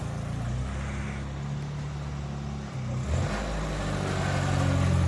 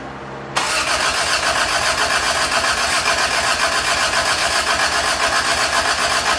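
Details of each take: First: Toyota Tercel 4WD wagon with 3A-C engine after reinstall and carburetor swap, pulling out for first test drive: steady low drone with even beat, smooth, no knocks or misses; engine sounds much better now. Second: Toyota Tercel 3A-C carbureted engine just reinstalled, cranking to build oil pressure and fill the float bowls, timing uncertain: even starter churn about four beats a second, never fires; fuel was not hooked up; crank no start, no fuel supply.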